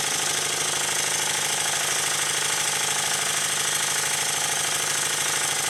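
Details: Stuart beam engine model run on air at very high speed on bench, slide valve fitted reversed: very fast harsh chuffing with hissy air blast each stroke like a jackhammer; valve blowing through at both ends.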